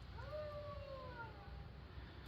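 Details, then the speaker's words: Van torn down for cam work, eerie wavering howl sliding down in pitch, like a bearing singing; owner suspects the water pump, unconfirmed, and may replace it for peace of mind. "listen I never heard a water pump that sounds like a ghosty so we might pick up a water pump"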